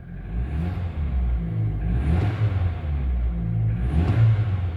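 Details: Vectra that would start then cut out, suspected fuel pump: engine now catches and holds a steady idle, taking two clean rev blips without hesitation; fuel delivery sounds right.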